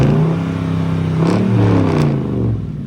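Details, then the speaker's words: Truck engine just after an oil change overdue by about 7,000 miles; revs rise and settle smoothly with no knocks or ticking, sounding better than before; clean-running. "It just sounds so good. But everything sounds so smooth with the engine right now."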